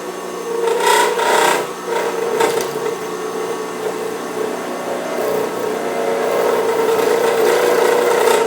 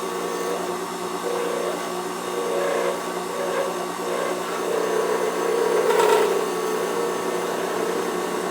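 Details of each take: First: Turning an acrylic pen blank on a lathe, with a tripod on the lathe table picking up vibration. A rough, scraping cut gets louder and chatters toward the end, where the blank is still out of round; it smooths once rounded. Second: Wood lathe turning an acrylic bullet pen blank, tripod on the lathe table picking up vibration; even whirring spin with a light cutting hiss, earlier vibration gone because the blank is now round and turning smoothly.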